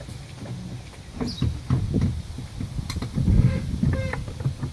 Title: Vw 1.8t rough idle, sputtering, help plz